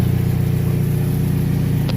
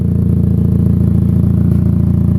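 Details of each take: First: Chevrolet HHR at idle after sitting long with battery disconnected, check engine light on: smooth even low idle with no rattle or tick, no timing chain noise these engines are known for; normal, though an exhaust leak exists. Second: Chevrolet HHR that sat long with battery disconnected, at idle, heard from the rear: steady low puffing about three pulses a second, loud at the back, from a hole in the exhaust before the muffler.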